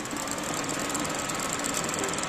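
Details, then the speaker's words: ELMO 16mm xenon projector clattering steadily, optical sound faint, hissy and crackling because guide rollers badly repaired with heat-shrink tubing have wrong diameter, film not riding flat; touching film restores sound; rollers need replacing. "un suono debole con crepitio Ma se tocco a malapena il film! Miracolo!"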